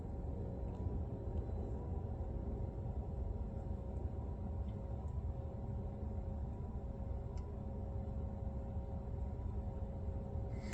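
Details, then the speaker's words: Tesla without the long-range pack, DC fast charging at a Supercharger in Freehold, New Jersey, arriving at 19 miles and holding about 170-173 kW; steady low hum with even mid tones from battery cooling; normal. "let's see what happens if we're connected good if we got everything and then you'll hear the battery really kick"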